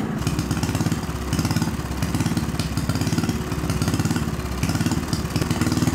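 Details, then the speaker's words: Small see-through single-cylinder turbo engine on newly adapted Amp-EFI and pump gasoline, lightly tuned: quick, steady low chugging beat with no misses or surging; runs better than on carburetor, though turbo holds much oil. "Isso foi incrível Essa coisa começou e correu bastante bom para o pouco de afinação que fiz"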